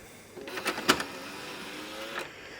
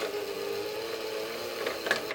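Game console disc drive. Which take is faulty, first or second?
first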